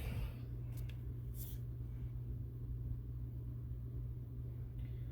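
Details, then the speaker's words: GE/Telechron alarm clock motor after re-oiling the rotor, on test with the rotor pushed back into the coil (the earlier noise was the loose rotor): only a steady low mains hum, turning counterclockwise slowly, running smoothly; normal. "so you can see it there it's turning counterclockwise doesn't go real fast but uh you know it's turning so that's what we're looking for"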